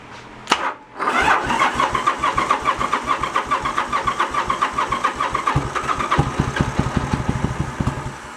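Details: 1986 Yamaha Virago 1100 that sat about six to seven years with fuel in it, run on a shot of starter fluid. A crank, then ragged firing on both cylinders that fades within seconds; fuel starvation, with green old fuel found in the float bowls.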